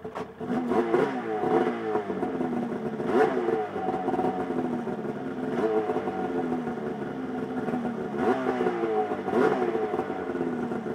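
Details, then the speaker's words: 2003 Polaris RMK 700 snowmobile with SLP muffler-less exhaust fitted: crisp two-stroke crackle with throttle blips, no misfire; sounds better and not much louder, no leaks. "Sounds better. It's not even that much louder, really."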